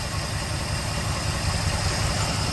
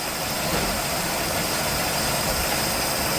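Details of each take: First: 1969 Chevelle idling steady near 600 rpm after the rebuilt carb install and timing set to factory spec, vacuum advance still unplugged: even beat, no misses or hunting; normal idle. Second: 1969 Chevelle barn-find V8, cold, first start on freshly rebuilt carb with old needle and seat: shaky, uneven idle with a stumble; owner suspects rings still stuck from sitting; rough idle, cause unconfirmed.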